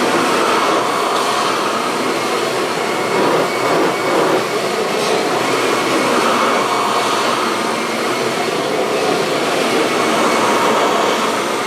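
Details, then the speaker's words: Kirby vacuum cobbled together from several broken machines, cleaned inside: steady high-pitched motor roar with a constant airflow rush and no rattles or pitch wobble, and it runs well with no issues. "so as you guys can hear it runs pretty well there's really no issues"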